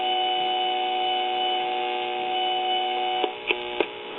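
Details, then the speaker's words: Crosley Cruiser record player with a homemade preamp added: steady ringing tone with stacked overtones and a few sharp pops, volume dependent and distorted; hum and feedback because the metal tone arm tube is not grounded. "and i've already checked and this metal tone arm tube is not grounded like it should be"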